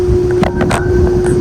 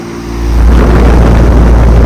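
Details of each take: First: York Stellar condenser, R22, about 1998, GE fan motor, apparently reciprocating compressor: compressor off, fan turning very slowly with steady mid-pitched hum and airy whoosh; owner thinks it needs a new fan motor. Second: Large commercial AC unit at a sports complex, likely 2023 and about 5-ton: heavy deep drone builds within half a second and holds loud and steady, cabinet shaking; normal scroll compressor operation.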